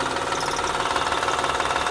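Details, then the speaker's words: 2007 Honda Odyssey Touring 3.5 at idle, noise from accessory/pulley side: fast, even ticking over steady idle; likely timing belt tensioner, alternator bearings also noisy; only alternator servicing authorized. "si se escucha seguramente es el tensor de la banda el que está provocando este ruido y otros asociados también el ruido es es el alternador"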